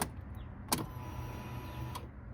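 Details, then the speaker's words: 2009 Polaris RZR 800 UTV parked about 5 years: after a click, the fuel pump runs a steady thin electric hum for about a second and stops cleanly, priming normally after being bolted back in place. "Hear the fuel pump turn on."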